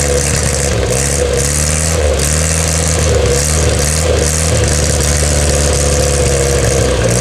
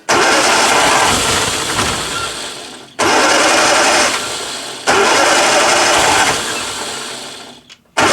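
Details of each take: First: 1962 Austin Healey Sprite Mk2 with the 948cc engine, on its first start in over 40 years: a smooth, even idle that climbs cleanly through throttle blips and settles back without misses; running healthy. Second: 1962 Austin Healey Sprite Mk2 with the 948cc engine, first start in over 40 years: it revs up, sags and nearly dies every two to three seconds, needing throttle each time; it will not idle, cause not confirmed.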